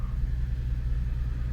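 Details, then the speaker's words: Infiniti FX37 at cold idle before valve adjustment, tight clearances found on one head: stumbling uneven lumpy beat, clear misfire on bank one. "Запустив я двигун і машина впевнено троїт. дуже запущений"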